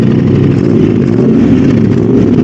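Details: Modified Aprilia RS660, before remapping, after every unplugged connector including the O2 sensors was unplugged and replugged to clear the fault code: steady, loud, rough-edged roar held at high revs with no misfire or cutting out; running properly.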